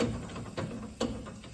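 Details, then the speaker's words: Car with all-new front suspension and two-piece brake rotors, passenger-side front wheel at slow roll: sharp clunk once per wheel revolution over light normal brake scraping; cause suspected, rattling two-piece rotors under investigation. "If you listen to the passenger side, you can hear a clunk. You hear a little scraping. That's relatively normal for brakes, but you hear that clunk every time."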